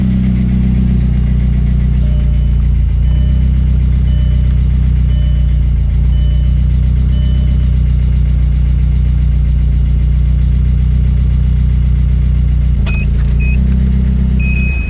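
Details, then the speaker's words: VW MK4 Jetta 1.8T with GT28R turbo, after hard 2-step launches; rough idle with quick light ticking from the head, steady with revs, louder over the drive home; owner suspects cam chain tensioner or dry lifters. "so yep a lot of ticking going on in the head my guess is the cam chain tensioner since they do fail or maybe some issues with the lifters maybe dry it out or something"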